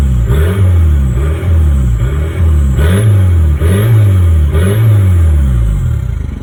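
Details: Toyota 2L-TE diesel, 97 hp, near idle with exhaust pipe fallen off: engine rises and falls with each rev blip, wild high turbo whistle swelling on top from the open turbo outlet.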